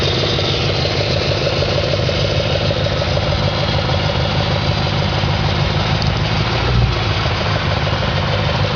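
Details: 2004 Audi S4 4.2L engine at idle, gauge showing over 100 psi at idle: a rough, uneven idle with loose, irregular knocking; engine knock at idle, cause not yet pinned down.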